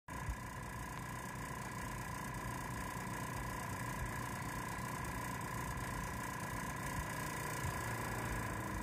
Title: エアコン室外機からすごい異音がする